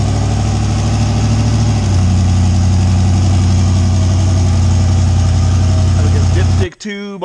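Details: A 358W 80mm-turbo Fox Body V8, just started after the injector ground was connected, settles into a steady, even low idle with no misses, knocks or hunting; it sounds healthy.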